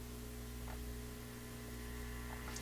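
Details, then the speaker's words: Addison 5-tube radio out of the cabinet, volume turned up very high: steady low hum with evenly spaced tones as the radio amplifies tiny sounds; persistent hum still being tracked down. "At this point, the radio's amplifying tiny sounds and making them quite loud."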